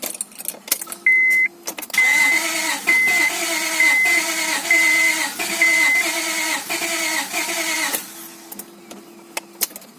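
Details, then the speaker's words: Honda Accord V6, first start after the engine was reinstalled following rear main seal and oil seal replacement. The starter churns steadily about once a second for six seconds and never catches. Owner suspects a weak battery or insufficient fuel pressure. Cranks but will not start; it started on a later try. "kind of seems like the battery isn't strong enough or for some reason it's not built in sufficient for pressure"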